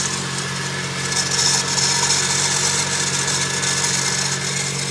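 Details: 1J engine bay: hissy, rough high rasp over steady low engine drone, swelling slightly partway; owner suspects timing belt tensioner or power steering pump, source unidentified.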